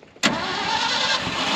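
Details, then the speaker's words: 1974 Ford F600 dump truck, sat two years, started on choke; engine bursts in abruptly and holds a rough, uneven roar without settling to clean idle: hard starting. "oh she's wanting to take it out when it won't start oh look at that she will start sounds good"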